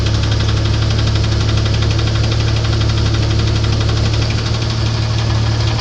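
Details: 1994 Grand, 4-litre engine, at idle: steady knock about three per second riding on the engine note, constant throughout; engine knock, cause undetermined.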